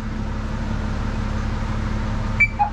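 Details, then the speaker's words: 2015 Dennis Eagle Elite 6 refuse lorry, in the cab at switch-on: two short high beeps, a sharp tone then a lower one, over a steady cab hum; no other lorry in the fleet does this, cause unknown. "No other lorry in our fleet does that. I don't know why it does that noise."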